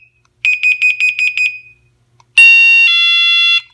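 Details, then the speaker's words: Water leak sensor kit's WiFi gateway (base unit) sounding its audible leak alert, volume adjustable up to 120 decibels: shrill high beeps, about eight quick pulses, then a steady piercing tone for about a second. "The gateway or base unit gives you an audible alert that you can select different volumes to it for when there's an alert, and it can be set up as high as 120 decibels"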